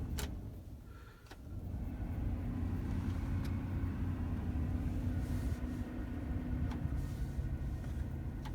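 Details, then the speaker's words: Chevy Express van, after replacing the blower motor resistor and repairing the wire harness, ignition on: a click, then the fan spins up into a steady, smooth hum with no rattle or squeal; the blower works properly. "Okay, we just finished installing the new resistor for the fan blower motor, and turn the ignition on, and moment of truth, we'll turn on the fan."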